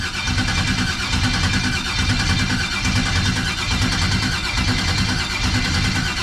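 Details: 1989 Box Chevy with a replacement starter and a new external fuel pressure regulator: starter turns the engine over steadily with roughly once-a-second pulses, never catches or fires; crank no start, cause unknown.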